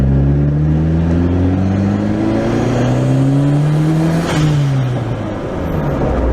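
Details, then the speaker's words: Honda Prelude on its first drive: a clean engine note rising steadily through the gears with a brief shift dip and no knocks or rattles. It pulls smooth and the AFR is good. "It pulls so smooth, dude."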